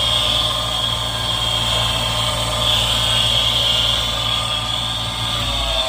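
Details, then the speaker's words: Newer Ducane furnace inducer motor, dusty after basement work, manometer showing good water column: a constant high-pitched scream rides over the motor hum. Dust in the bearings is suspected; the inducer motor is failing internally. "I definitely I definitely want to open this up to take a look it sounds like the internally something is definitely going wrong inside that motor that's not a normal sound"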